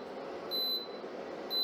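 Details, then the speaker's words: Germanica portable induction cooker switched on with no pot on the plate: short high beeps about a second apart over a soft fan hum; it refuses to heat, signalling no pan detected. "now on cool it's not doing anything so heating immediately not happy no pot makes sent"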